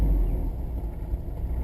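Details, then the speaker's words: 1989 Ford F150 4.9 L fuel-injected straight six, 4-speed manual, battery near 9.5 volts and not charging; deep, even rumble with steady low beat, no misses or knocks; engine runs really good, normal idle. "idle's pretty good especially for having like almost nine and a half volts in the battery"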